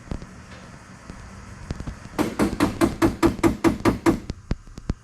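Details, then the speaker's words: Turbo Ecotec V6 nitrous solenoid, driven from ECU idle stepper output during software output test: about ten crisp, evenly spaced clicks, roughly five per second; solenoid switching cleanly and working. "and you can hear it over there and do it again so that's a nitro solenoid activated and working"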